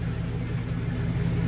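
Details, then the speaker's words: 2000 GMC Sierra 2500HD in two-wheel-drive, rear wheels spinning on stands in drive after new copper-nickel brake lines, new brakes and fresh differential fluid: an even low drone with no grinding, clicking or whine; the axle is running normally. "Runs pretty smooth, so you cannot hear any noise. Pretty smooth, guys."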